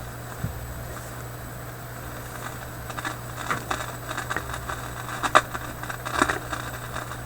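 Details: Philips 922 vacuum tube radio: irregular sharp crackles and pops about one a second over steady low mains hum; intermittent crackle, suspected capacitor inside the IF coils, cause not yet found.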